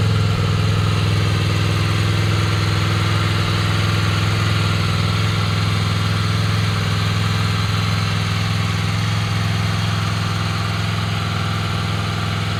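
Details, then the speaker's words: Honda VFR800X Crossrunner V4 motorcycle just after a cold start in neutral, microphone held close: smooth, even low idle hum, steady pulses about three per second, no ticks or misses; normal idle. "that's that's that's the cold start I I hope you guys can hear it there you go I'm keeping the microphone close"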